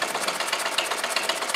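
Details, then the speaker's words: Homemade permanent-magnet solenoid motor built on a chopped-down brush cutter crankcase with an extended conrod, oil added, running at a fast, even clatter of about 13 beats per second with a dry metallic edge as the gudgeon pin rubs the side of the barrel. "it's G the side of the barrel as you can hear"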